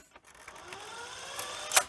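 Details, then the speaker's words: Sony SL-C5 Betamax on pressing stop: faint rising scrape and whir then a sharp snap; the new, slightly oversized playback idler tyre is suspected of rubbing and jamming the take-up spool. "Hear that noise? like rubbing noise that Oh"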